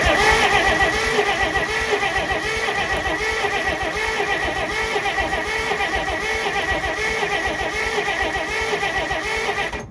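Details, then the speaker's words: 1948 Pontiac Silver Streak straight six, sitting since the early 1990s: ten seconds of steady cranking, slightly uneven at about 230 a minute, never fires; no spark because mice chewed through the coil wire. "um so basically I'm an idiot did not check the wire to the coil at all uh it was chewed through by mice"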